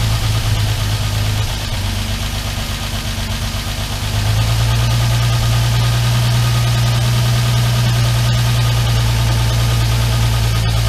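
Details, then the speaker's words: Armstrong Siddeley Star Sapphire special, cold engine on choke at first start in probably over 40 years: speed steps up, then a steady low idle with a slightly uneven beat. Carbs out of kilter and need tuning. "Need to uh Smells all right. Tune it up a bit. Yeah, the carbs are out of kilter, aren't they?"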